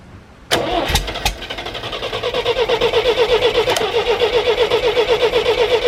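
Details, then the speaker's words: 1973 GMC 432ci V6, unstarted for almost five years, fed from a fuel can with water in the radiator: steady cranking at about four pulses a second that never catches. Fuel line found still dry; owner unsure whether the fuel pump is bad or the carburetor float is stuck. Crank, no start. "so what I am gonna do is crack the fuel line loose see if it's actually popping up because I have no idea whether this fuel pump is good on here or not or whether the float's stuck in a carburetor for that matter too"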